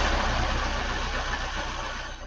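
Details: 1999 Ford Escort, transverse engine, started while a noid light was plugged into an injector: a smooth, even petrol idle with no misses or knocks. The injector is being triggered and the engine idles normally.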